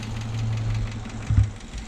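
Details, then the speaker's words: 1965 Plymouth Fury II wagon running for the first time in 45+ years: a light, quick tick over a steady idle that follows engine speed. Valve covers were checked twice and the rockers are tight; the sound didn't change when probed with a screwdriver, so the cause is unknown. "But yeah, you hear that tick? I don't know, I've had that other valve cover off twice. Everything's tight, you know, there's no movement."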